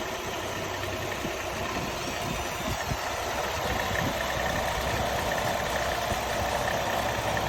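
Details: Nissan Altima 2.5 SV with 75K miles, recently bought: steady idle with a fine busy rattle and a faint high whine on top; source unidentified.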